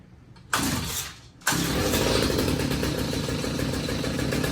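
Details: Stihl HS45 two-stroke hedge trimmer after fixing clogged spark arrestor and cleaning carburettor jets: fires after a brief pull, holds a steady buzzy idle without stumbling; running properly.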